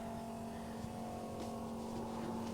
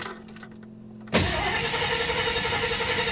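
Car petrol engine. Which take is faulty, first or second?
second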